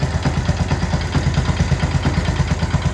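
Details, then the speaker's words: Yamaha Byson 500 km after an engine rebuild, warming up after an oil change, with oil loss reported: steady idle of about three pulses a second with a light, dry clatter from the left side. Owner suspects the cam chain. Engine ticking. "cuman masih ada suara yang lumayan kerasa kayaknya sebelah kiri sini kalau sebelah kiri Ini berkemungkinan inilah rantai ketengnya"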